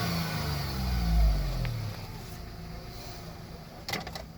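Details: VW Polo 1.2 petrol idling: uneven, lumpy low rumble that swells and sags; code reader shows cylinder 1 misfire.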